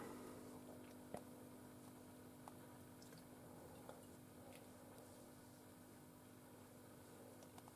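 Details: LM805 (805 tube) amplifier on the bench, tubes swapped left and right to trace the noise: a faint, constant low residual hum on a quiet background. The hum comes from noisy output tube V02.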